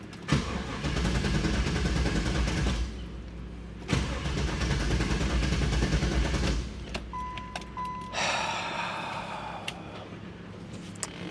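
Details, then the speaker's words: 1995 Pontiac Firehawk that sat over 10 years, after interior cleanup: two long bursts of steady starter cranking, about 2.5 beats a second, never catching, and one of the fans is also making a new noise; crank no start, owner suspects the Opti-Spark. "Also, we got a crank no start, which is something we already fixed."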